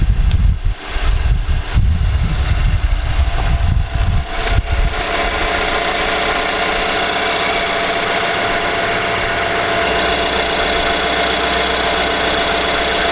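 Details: 2018 Nissan Armada SL 5.6L V8, about 38,000 miles, idling: light steady knock under the exhaust rumble; source unconfirmed, possibly related to bulletin NTB19-057. Engine knock at idle.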